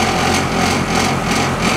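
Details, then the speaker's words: 1985 International school bus diesel, heard from the cab: it fires right up and idles with a steady, even clatter, no knocks or misses. Normal idle. "well that was boring wasn't it fired right up now"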